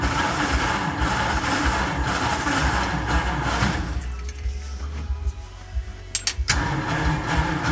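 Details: Mid-1940s Ford F5 one-ton dump truck with flathead 8BA V8, first start in years after freeing the stuck engine: catches and settles into a low, lumpy idle, dips briefly, then runs on its own. Carburetor is hand-primed because of a dead accelerator pump.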